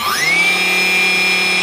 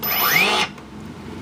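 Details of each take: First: Turnigy AE-30A brushless ESC on a motor: steady high whine at half throttle, then on cut-off the pitch slides slowly down over a second or more; the brake setting was apparently not applied. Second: Turnigy AE-30A brushless ESC after programming brake to high: rising motor whine cuts off abruptly after half a second; motor braking quickly, working as set.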